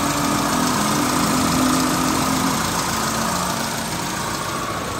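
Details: Hyundai Avega idling with the AC on: coarse, steady growl and faint hum that makes the engine sound rough, while the AC still cools normally. AC compressor growl.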